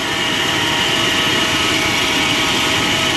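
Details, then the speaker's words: 1995 Chevrolet Silverado 1500 4x4 at inspection, engine running: harsh, steady high-pitched whirring, dry grinding from the AC compressor pulley; inspector suspects the compressor is running dry and needs lubrication, engine otherwise runs well. AC compressor noise. "C'est plutôt la poulie du C'est là que le bruit provient, c'est le compresseur. Donc euh ouais, il a peut-être il a certainement besoin de lubrification."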